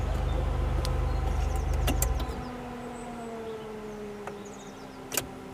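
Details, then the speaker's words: Rover CityRover (Tata Indica), bought for £200, after a roughly 100-mile drive home with the temperature gauge still on cold: the engine stops and a steady whirring cooling fan keeps running constantly, possibly not doing so at the journey's start. "Okay, that's peculiar. I'm not sure it was doing that at the start of the journey. Why is the cooling fan running constantly?"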